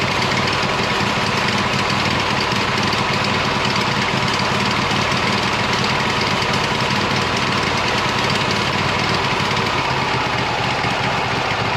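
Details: 26 HP Kohler V-twin lawn tractor, cold start. It kicks back, runs very rich with an uneven, stumbling beat and missed firings, sputtering at full throttle. Refitting an old coil in place of the cheap aftermarket coils improved it, so the cheap coils are suspected faulty.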